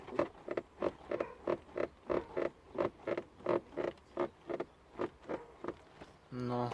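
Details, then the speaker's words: Kia Rio 4 dashboard climate control unit creaking as it rubs against its housing, triggered when a passenger presses a foot against the panel: rapid regular plastic creaks about three a second. "сам климат климат трется об корпус его сама стоит вот я рукой из по делу этого достаточно человек на вы касается потом не скроешь упирается и все и все скрепить даже не касаясь у скрипит вот так"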